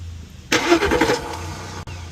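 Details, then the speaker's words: Porsche Cayenne S no-crank, starter relay removed and pins 30 and 87 bridged with a fused jump wire: about a second of starter spinning the engine over; starter, solenoid and wiring good, fault likely relay or module. "So, it's trying to crank, which means that the starter and the solenoid are good."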